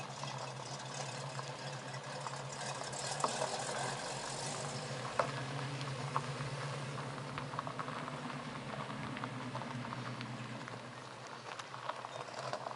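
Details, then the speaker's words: 1969 Mustang coupe V8 with new dual exhaust: low, muted burble at idle with a soft, even rumble, no rasp or leaks, much quieter than before; normal, healthy idle. "Oh, that sounds a lot better. Sounds a lot better. Yeah. Yeah, you can hear yourself think in the car now."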